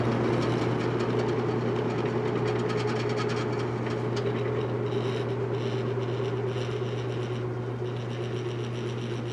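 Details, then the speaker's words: Vintage General Electric 3-speed reversible box fan on medium, running too slow: steady low hum with constant buzzing tone and faint rattle from the front emblem vibrating. "but you see what happens on medium now I mean that can't possibly be medium that's the emblem buzzing"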